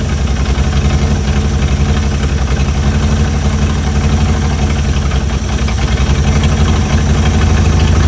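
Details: Chrysler CM Valiant with Hemi 265, second start after idle adjustment; low even idle rumble with smooth steady beat, no misses or knocks; perfect idle.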